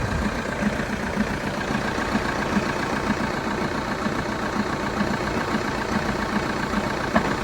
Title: Vauxhall Astra 2.0 CDTi 2012 cold start engine rattle / knocking noise ?